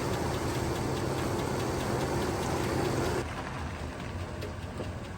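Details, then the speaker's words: 6.0L LS V8 from a 1999 GMC 2500, not run in a while, jump-started from a 454 truck; rough idle with light, fairly even ticking about four per second, a top-end tick, cause not confirmed; engine to be rebuilt with cam, likely pistons. "Had to bring in old 454 shop track to get her to start, but as you can hear, it's making a top end tick."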